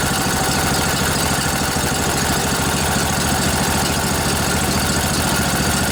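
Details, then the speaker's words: Junkyard Briggs & Stratton Intek twin-cylinder 20-25 hp riding mower engine, long sat outdoors, just revived on weak battery: steady even putter at idle, no knocks or misses, bit smoky from sitting; normal idle. "A little bit smoky. Hasn't been running a while."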